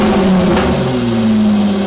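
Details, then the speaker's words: Stock V6 VX Commodore with the muffler cut off and a new side-exiting exhaust welded up, first start. A loud, deep drone holds a steady low tone with a brief rise in revs and a raw open exhaust note, no knocks: normal start and rev. "um so where I just going to start it and see what it sounds like on the middle it's not that bad"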